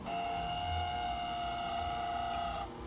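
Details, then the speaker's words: Panasonic NN-GT6845 microwave running a one-minute water test after fuse repair: steady hum with high whine from the dry magnetron cooling fan, needing cleaning or replacement. "e esse barulho é que estão vendo é o ventilador dele que tá seco a ventoinha que refrigera lá o magnetron e vou dar uma limpeza lá também para parar esse barulho"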